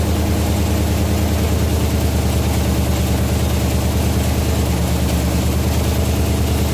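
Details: 1967 Chevelle V8, first start since 1977 on original wiring after a bad ignition switch connection was cleaned: deep, even idle with a steady lope, no knocks, ticks or misses; healthy running.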